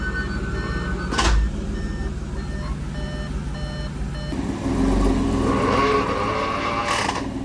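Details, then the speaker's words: Audi S5 on its first drive after an engine rebuild with timing-chain work: a thin, steady high screech whenever it is in gear. It worsens with a clunk when braking, after which the wheels stop moving in drive. Transmission fault, cause unclear. "there's a weird screeching sound whenever the car is in gear and when I'm pressing the brake it goes into gear perfectly"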